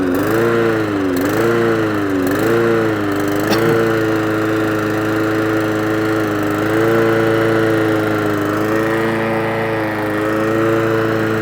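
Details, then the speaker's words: Old Mountfield lawnmower petrol engine after re-choking: idle surges and hunts, pitch rising and falling, shuts off if throttled down too far; carburetor fault, carburetor to be removed. "we're going to re-choke it. So you hear the hunting and surging?"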